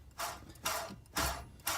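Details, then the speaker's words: Idler pulley on a 2005 Jeep Liberty (3.7 V6 or 4.7 V8 family) spun by hand with engine off during alternator replacement: gritty, rough whir about twice a second; worn idler bearing. "You can hear that one's bad as well, and this is the idler."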